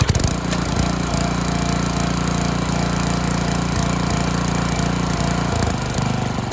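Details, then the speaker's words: Karcher G2400 HB pressure washer, Briggs OHV engine, after carb rebuild, new fuel lines, spark plug, oil and air filter, slightly warm: steady single-cylinder thumping idle, no misses or surging; previously ran only on choke. "i change the oil so the motor is good and it idles properly"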